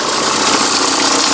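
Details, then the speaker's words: VW Touran MkI 1.9 TDI diesel at idle before belt tensioner replacement: busy rattly clatter over engine note, accessory belt visibly flexing up and down from worn tensioner. "I just wanted to show you that noise before I change the belt tensioner."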